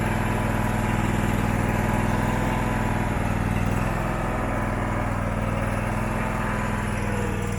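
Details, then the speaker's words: Abandoned Husqvarna mower, possibly a 2002, V-twin, first start: rough, uneven idle pulse swelling and sagging instead of holding steady, no backfire; surging, owner suspects the carburettor. "that's hot [Music] wow you can tell us he's surging any backfire nope"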